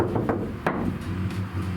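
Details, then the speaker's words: Iveco Daily ex-fridge van camper conversion: a bare panel is tapped before butyl sound deadener is applied. A few sharp taps each leave a hollow, lingering ring; the undamped panel is ringy and resonates. "ringy, isn't it? Yeah. So I'm it's like... just thinking that on there should help out a bit."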